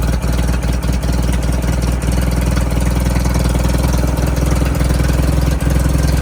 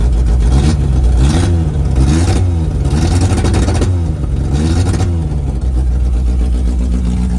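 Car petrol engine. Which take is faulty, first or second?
first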